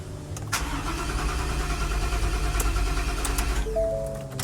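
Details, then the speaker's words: 2021 Ford F-150 at a body shop, cranking on a jumper: the starter spins the engine evenly at about three compressions a second but it never fires. Crank no start. "this is a 2021 F-150 and it's a crank no start so I got the jumper on there and we're gonna see what happens"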